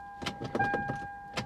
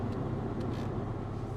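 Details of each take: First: Salvage V8 BMW X5 at auction, foot on brake: several sharp uneven starter clicks over a steady warning chime, fuel pump audible, engine never turns over and shifter won't leave park; cause not confirmed. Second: Salvage BMW X5 V8 at an auction yard, airbag light flashing and tires bad: even, steady low idle with a smooth V8 burble and no stumble; the engine is now running cleanly.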